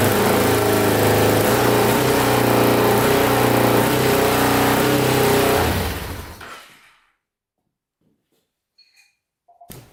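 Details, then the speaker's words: 2000 Can-Am DS650 quad, single-cylinder 650cc, freshly rebuilt top end, idling fast and steady without settling, even with choke out, then shuts off; high idle thought to be from throttle cable slightly too long, to be trimmed. "still oil's up pretty high we got i think we gotta trim a little bit off this cable it's just a little bit too it's actually a little bit too long"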